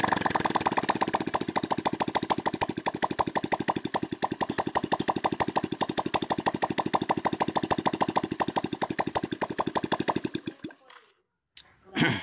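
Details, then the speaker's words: Shogun R 110, revived after flood damage and nearly 3 years dead, idling steadily with the exhaust removed after overhaul to check for smoke; rapid even open-port crackle, then cuts out; slight smoke at first, normal healthy idle. "ini mau kita hidupkan tanpa knalpot tujuannya untuk melihat apakah masih berasap atau tidak"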